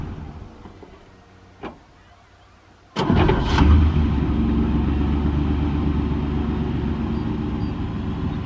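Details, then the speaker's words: Old Chevy pickup that sat at least 4 years, wouldn't go into gear with clutch down; started in first gear with clutch pressed: single sharp bang as it catches, then steady rough idle as the stuck clutch disc releases from pressure plate and flywheel. "But anyway, I put it in first gear and then fired it up with my foot on the clutch, and that little bang was the clutch disc finally releasing from the pressure plate and the flywheel, which now it feels fine."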